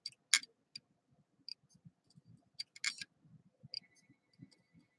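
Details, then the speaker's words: Crashed PlayStation 3 SATA hard drive read through a USB adapter on a power bank: sharp, dry ticks at uneven intervals with almost no motor hum, the repeated clicking of a failed hard drive. "And just to hear, if you can hear that on the stream, that is what the sound of a bad hard drive is."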